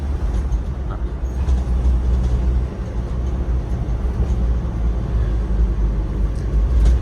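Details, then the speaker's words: Toyota Qualis test drive after suspension work, silencer and clutch set replacement and handbrake fix: steady low road and engine rumble with no rattles or clunks over bumps; vehicle now fully silent. "വണ്ടി എന്തായാലും full silent ആയി"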